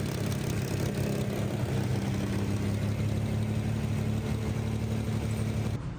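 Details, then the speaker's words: 1965 Corvair engine freshly installed for a race-car build, first start during cam break-in. Busy, loose ticking valve train chatter over a steady low idle, expected from mismatched parts. "Got a little bit of valve train noise, but that's to be expected."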